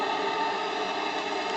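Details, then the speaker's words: JLS 13-2 live steam engine on bench test at about 1 bar, started gently running anticlockwise: soft, even steam hiss with no knocks or leakage as it turns over slowly; clean, smooth, healthy run. "pas un bruit pas une fuite 1 & 1 fonctionnement mais de douceur"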